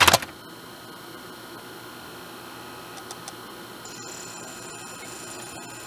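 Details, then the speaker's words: Sylvania DVD/VHS combo DVD drive, microphone close: quiet steady whir with a couple of soft clicks while reading. The earlier popping and ticking while focusing on the disc is gone after a settings fix, so the drive runs normally. "now you move the microphone in closer you can hear before this thing was if you didn't hear it on camera it was popping and ticking when it was trying to focus on the disc now it's pretty normal"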